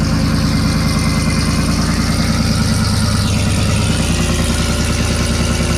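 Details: 2018 GMC Sierra 6.2L V8 cold start after Kooks long-tube header and off-road Y-pipe install, exhaust cutout open (louder than through muffler), no air filter fitted: deep, loud, steady even lope with no knocks or ticks; normal idle.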